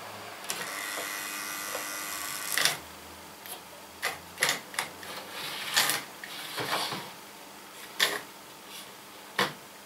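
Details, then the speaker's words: Model railway N2 mainline locomotive, jerky in motion, keeps stopping and starting and is hard to get going from a dead stop. Wheels and motor shaft already cleaned; owner suspects warm motor brushes. Brief motor buzz, then it stalls into scattered clicks and spurts. "the motor brushes i think they're getting a bit warm on this one um because it's rather jerky in motion keep stopping and starting"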